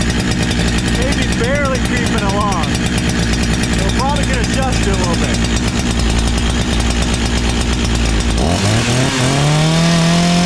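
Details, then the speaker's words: Brand new NEO-TEC NH872 71cc chainsaw (Husqvarna 372 XP clone), 28 in bar, first start before idle adjustment: fast busy idle a bit high, pitch climbing near end, chain moving at idle; idle speed set too high. "it actually sounds like it's idoling a little bit high oh the change moving I don't think you want that"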